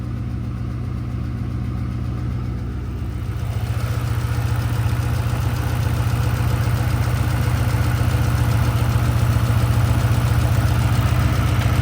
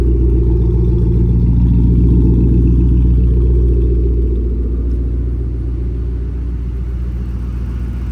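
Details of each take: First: Ford Mustang after cold start following long sitting; faint quick tick three to four per second at steady idle, sounds like an exhaust leak but none found; spark plugs backing out suspected, vibration felt at a coil pack. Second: Mustang cold start after a repair for an engine ticking noise: deep, even, steady idle with no ticking over the rumble; the engine runs smoothly, and the ticking appears fixed.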